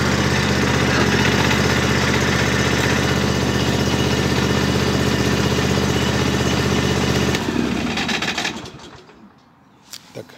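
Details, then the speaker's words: Wolf Garten Expert 92.160 H garden tractor starting once the mower deck lever is raised, since the safety interlock blocks starting with the deck engaged: a steady, even engine beat until shutoff. Normal running. "Net zoals je op de stoel moet zitten om de tractor te kunnen starten, zo geldt ook voor mij: als ik nu de maaierhendel omhoog doe, de sleutel omdraai en de machine start."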